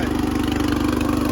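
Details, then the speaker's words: Riding lawn tractor with 13.5 hp engine, throttled up after a choke start: quick, even single-cylinder putter at steady speed with no misses or knocks; healthy. "this one runs really good, so I figure I'll show it running and the mower works."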